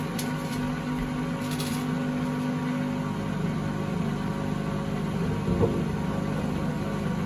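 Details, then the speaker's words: 2012 Beko WMD261 washing machine on spin and drain, pump draining fine: steady low droning rumble with rough hum through the spin; previous owners said it became unbearably loud to use, pointing to worn drum bearings. "I expect everything works, it's just the noise faults and what the previous owners were telling me when I fitted the new one in. It became unbearably loud to use."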